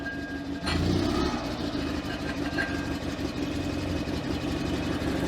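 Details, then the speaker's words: Invacar two-stroke after a new throttle cable, first start in a long time on a jump (battery at 10 V): it settles into a steady, even idle with no misses. The throttle is slightly sticky. "Oh, that's the sound I've missed. We'll let her warm up for a bit."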